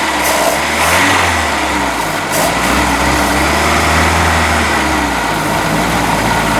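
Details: Boat inboard motor just after new manifold installation, run on water muffs about 10 minutes: uneven, lumpy idle with wandering beat; ignition timing off and carburetor needs rebuild, oil still water free.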